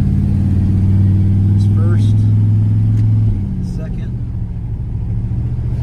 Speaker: everything's sounds good everything's doing what it's supposed to be doing